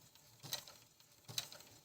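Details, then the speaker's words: Brother ML-750 sewing machine in for adjustment, run on the start-stop button without a pedal: very quiet running with only a couple of faint light ticks about a second apart, practically silent and healthy. "Ну стоп-старт і ось дивіться який звук тут практично звуку ніякого нема"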